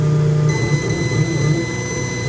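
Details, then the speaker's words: FSLaser 40 W laser cutter during a cut job: steady thin high-pitched squeal with shrill overtones over low hum; power supply pulse-width modulating the laser, normal, absent on straight cuts. "you hear that high-pitched squealing noise right now that's the power supply doing pulse width modulation for the for the laser it's kind of noisy but gets the job done"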